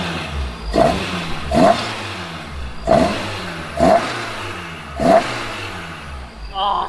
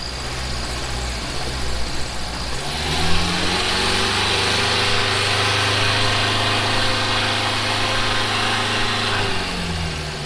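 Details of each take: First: Toyota AE86 four-cylinder on a new plug-and-play aftermarket ECU with full harness, replacing OEM ECU and coil pack: five sharp throttle blips about a second apart, each rising and dropping cleanly without stumble; revs crisply and healthy. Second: Toyota AE86 after switching to a new plug-and-play aftermarket ECU: catches and settles into an uneven, lumpy, loping idle; seems to be missing on a cylinder, ran better as a three-cylinder; cause unconfirmed.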